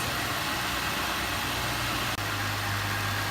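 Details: 2005 Cadillac CTS 3.6 after cleaning a debris-covered throttle body for rough shaky idle: steady even low hum, no stumbles, misses or hunting; normal idle.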